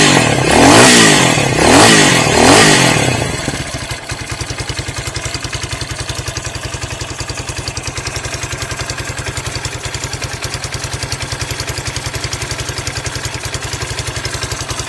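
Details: New 2023 Hawk X 250 with the counterbalanced single-cylinder engine, first start in neutral with choke on and idle raised: a few throttle blips, then a steady even thumping idle with no knocks or rattles.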